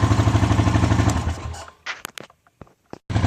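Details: 2013 Honda Rancher 420 ATV, 19,000 miles, 1,900 hours, after stator replacement; even low single-cylinder thump at idle, engine cut and handling noises, then smooth restart; charging 14-plus volts; normal idle.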